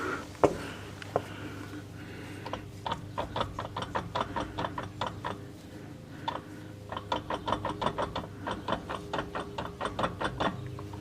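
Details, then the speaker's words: AMC Eagle driveline rocked by hand, not in 4WD, gives uneven dry clicks and clunks from excess play in the transfer case. Owner suspects a worn chain and that the fluid may be low. "Yeah, it's a bit of play coming from the and you can hear the clunking from the transfer case, so that could be some of it right there."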